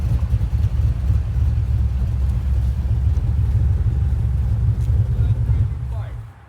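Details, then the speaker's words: Freshly built small-block Ford 427W V8 with Terminator X, restarted after first start: deep, loping idle with an uneven, choppy pulse about three beats a second from the big cam; normal idle with cam lope. "Speaking of which, there's his dad, so we're going to have to start it up one more time. Listen to that cam."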